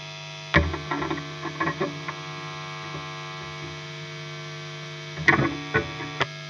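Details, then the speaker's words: Electric guitar plugged into an amp: loud, steady low electrical buzz with stacked higher tones that gets louder when the guitar volume is turned up, plus handling clicks and thumps; mains hum or ground-loop noise. "there's another humming sound from the bottom of the guitar, when I turn it up it's loud."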